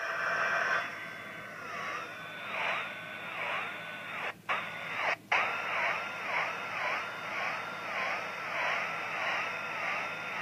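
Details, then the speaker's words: Oscillator running at about 11.14 MHz, heard through a radio with the microphone held near it: a whistling tone wobbles up and down about once a second as a hand moves closer and away: frequency drift from hand capacitance. "i move my hand close as i move my hand closer to and further away from the oscillator the frequency changes you can hear that now"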